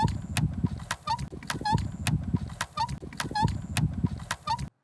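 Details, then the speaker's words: Dosatron dosing pump gives a rhythmic chirping squeak with clicks each stroke, a piston seal squeak from changed water surface tension such as lowered pH; it's harmless, and Dosa lube on the piston seals reduces or eliminates it. "first i want to tell you that that sound causes no additional wear and is no problem for the functioning of your unit"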